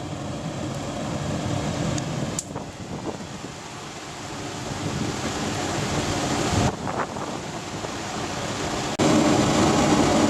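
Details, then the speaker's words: DIY waste oil burner on a simple scrap-aluminium melting furnace, heating up with air increased but not flat out: steady rushing roar with low rumble, holding even and getting fuller; burning well. "Okay, so as you can probably hear, that's burning quite well. I haven't got it flat out, but it's hot enough."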